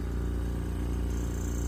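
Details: Invacare Perfecto oxygen concentrator just switched on: after startup beep, low even compressor hum with steady pulse and no knocks; running normally.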